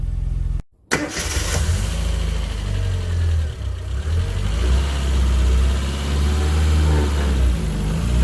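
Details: 1997 Rover Mini Cooper MPI started cold after winter storage, weak wrong-type battery: short stumble, then catches and settles into steady, low, even idle holding as it warms up; normal start and idle.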